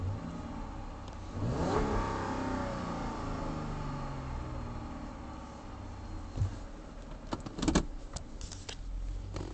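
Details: 2007 Dodge Charger: low, uneven churning for over a second before the engine catches, revs up and settles to idle; slow, reluctant hard start with extended cranking.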